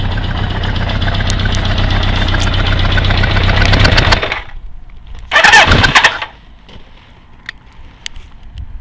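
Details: At idle a fast, fairly regular clacking of about four per second from a Kawasaki GPZ550 engine, appearing three days after a head gasket replacement and persisting after a rocker timing reset; cam chain taut, source undetermined.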